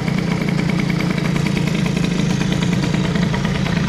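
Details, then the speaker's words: Bidalot RR two-stroke with prototype BOOST head (0.9mm squish, 14:1), 21 PHBG carb, Doppler Streetcup exhaust, MVT Premium ignition: idling without choke right after starting, steady rapid even buzz, no stumbles or surging; runs well. "Allez, on va tester sans starter. Ça tourne pas mal."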